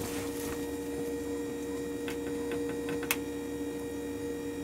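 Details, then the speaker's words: 1978 Jeep CJ7 EV conversion, recorded inside a warehouse where noises are amplified: the electric power steering pump runs a little noisy with a steady low hum. It quiets down after sitting a few minutes with no load. "the noise you hear is the power steering it's a little noisy foreign this one quiets down after it sits for a few minutes and there's no load it'll spool down and get quieter"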